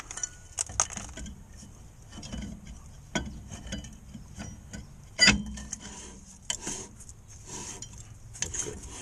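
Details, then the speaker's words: Pontiac Sunfire rear drum after adjusting the shoes, drum turned by hand: a light, intermittent scraping rub with no grinding, the slight drag that is wanted. "Hear the brakes just dragging on there slightly. That's what you want. A little bit of a drag."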